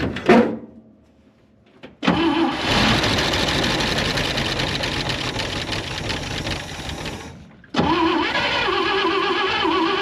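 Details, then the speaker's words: IH 4x4 Loadstar, an old fire truck with a carburettor, only about 6 in of fuel in the tank and fuel dumped in by hand: it cranks, catches, runs rough about five seconds, then dies; engine stalls from fuel starvation. "Sounded good, but obviously already ran out of fuel."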